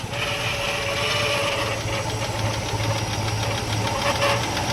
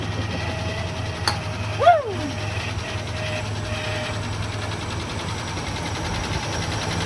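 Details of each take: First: 1980 Rover SD1 Buick-derived V8 revived after 18 years, warm with thermostat opened at 160, idle turned back down: steady even burble, no misses or knocks, light valvetrain tick; normal smooth idle. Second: 1980 Rover SD1, Buick V8, revived after sitting 18 years: low, steady idle with a thin steady whine on top. Alternator whine, but it is charging.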